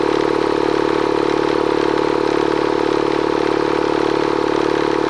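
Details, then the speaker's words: Bostitch Stanley air compressor running after a leak repair near the regulator (fitting resealed with pipe tape and dope, regulator top tightened): constant motor hum with fast, even pump chatter, no surging or stalling, running smoothly. "okay so we got it off let's plug it back in and fire it up thing runs great"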